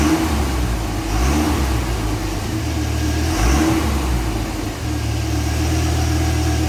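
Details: Dodge Viper, stock exhaust with side exhaust covers removed, revving: deep droning exhaust rising and falling smoothly with each throttle blip; normal stock exhaust note, disliked as vacuum-like, before cutting the exhaust off.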